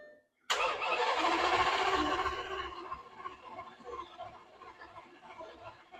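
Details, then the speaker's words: Lamborghini after engine and transmission reinstall, plugs, coil packs and fuel relays refitted: starter spins the engine at an even quick rate but it never fires, then winds down; cranks with no fuel pressure. "I don't have any fuel pressure. For some reason, the car wasn't starting."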